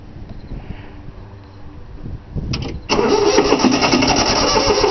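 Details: 3-cylinder Yanmar diesel cold start after glow plug heating: steady fast cranking, about four turns a second, with no firing or pickup; fuel lines weren't bled, so air in them prevents starting, though it usually starts right up.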